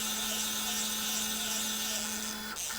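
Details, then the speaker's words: WorkBee CNC machine with new TB6600 Mach3 parallel-port controller, X axis jogged by wireless hand-wheel in continuous mode: steady high stepper whine over low hum, stopping when the wheel stops; normal. "so if i spin the little um wheel then the machine will move hopefully there you go so it's in a continuous mode"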